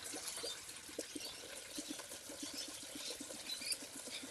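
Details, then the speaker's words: 2001 Ford Laser (Mazda ZM 1600cc, auto) with new radiator, after a full system flush, engine off: irregular gurgling and bubbling as trapped air works out during coolant refill, topped up as it bubbles down. "You can hear it bubbling away there. So as it bubbles down, we just add more water."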